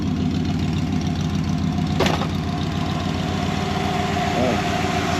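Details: 1968 Dodge Dart warm idle, coolant running 200–215 °F with a weak aftermarket radiator fan: steady, even idle, smooth low rumble, fan whirring faintly underneath. Normal warm idle.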